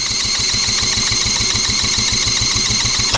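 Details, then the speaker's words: Honda Z50 monkey bike engine, ignition timing just before top dead center: soft even idle with weak low thumps about six a second until it cuts off; the engine has no compression. "I'm happy with that but this girl this old girl's got no compression"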